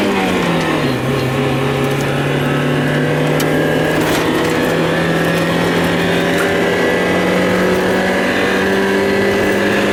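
The engine pitch sags after a second, then climbs slowly with faint irregular hiccups, a stumbling misfire of unknown cause.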